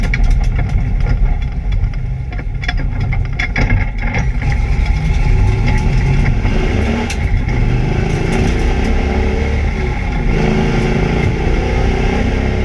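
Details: ABR Camaro on misfire laps: engine pulling hard on track but stumbling with sharp pops and uneven drops in pull, an engine misfire under load.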